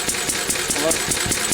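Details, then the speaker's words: Lister stationary engine, cold and not warmed up: even, steady thumping at about five beats a second with no misses or knocks. It is running about right. "they're running about right."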